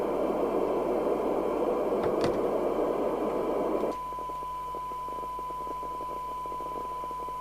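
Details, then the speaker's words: Midland 2001 UK FM CB radio (CB27/81) on test set before repair: squelch open gives steady even hiss, then quieter clean steady tone; receiver working, 1.2 µV for 12 dB SINAD. "I just want to see whether the set is recoverable. If I can hear it receiving, turn the squelch down."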